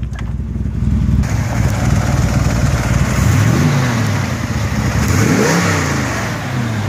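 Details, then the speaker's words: 1933 Buick Series 60 pro-touring street rod V8 on a warm road drive, temperature about 141: even, strong rumble rising and falling with the throttle, no misfires or knocks; the noise heard on the cold start seems gone, with a minor rattle noted. "sounds pretty good. Temperature runs at about 141."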